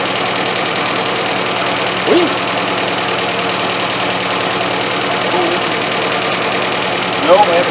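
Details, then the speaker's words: 1985 Iltis, first start on about two-and-a-half-year-old petrol, before adding coolant: steady, even idle with no knocks or misses and a faint chirp or two; engine sounds healthy. "this is a good good noise engine it sounds really nice"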